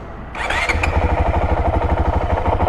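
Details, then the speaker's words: 2023 Honda CRF450X after thermostat delete kit install, cold start recorded with GoPro: brief crank catches almost instantly into a steady, even thumping idle with crisp regular pulses; starts easier than ever, normal cold start. "First thing is, man, this bike starts so easy. Watch this."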